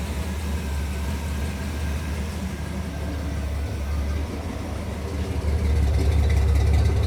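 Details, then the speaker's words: 1959 Pontiac Catalina after a carburetor replacement fixed its stalling on throttle: a deep, steady idle with an even beat and no misses, then a smooth rise in revs. 60 psi oil pressure; the misfire is gone. "No more misfire. We're in there like swimwear, boys."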